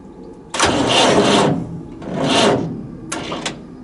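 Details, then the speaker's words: Massey Ferguson 1080 tractor (scrap non-runner with battery and electrical problems); three short, slow, labouring cranking bursts without firing. Starter leads get hot and can't carry enough current; a bigger battery and direct earth are planned next. Slow cranking. "these leads are getting hot it's just trouble you see they ain't carrying enough current really guys"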